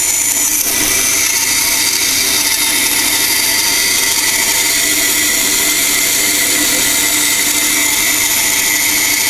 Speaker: again the tool likes to go straight instead of the rattling you're gonna hear it binding hear that extra sound but i can make a pretty tight tuck